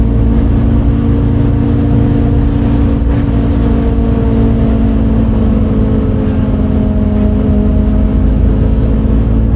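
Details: Recorded 07-03-2022 aboard 2008 MAN Lion's City A37 bus 3477 (MAN D0836 LOH 63 diesel, ZF Ecomat 6HP automatic) on line 8 Eindhoven. A loud low diesel drone under way with a steady, slightly wavering hum; unusual engine sound, cause unknown.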